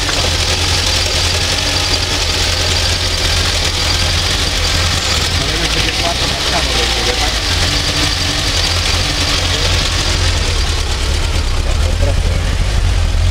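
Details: Fiat 125p engine idling rough: loud idle with an uneven, lumpy beat and irregular rattly pulses instead of a steady tick; cause unclear.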